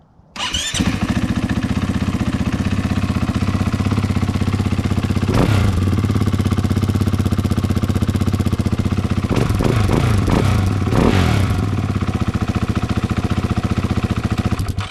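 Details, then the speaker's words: 2022 KTM 500 EXC-F single with stock ECU and stock exhaust, before AIM ECU and Graves slip-on install, revving: crisp bark climbing and dropping cleanly with each blip, no knocks or rattles; normal exhaust note. "But here's what the stock exhaust sounds like. Stock ECU, stock exhaust."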